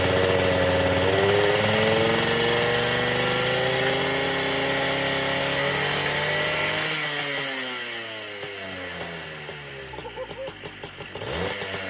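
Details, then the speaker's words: Two-stroke ATC three-wheeler, seized half an hour earlier and freed with plenty of top-end lubricant, smoking heavily: a crisp, buzzy rev up and back down, picking up cleanly with no knocks or misses. Running fine. "this thing was just seized not even an hour ago or less actually half an hour ago and it runs fine"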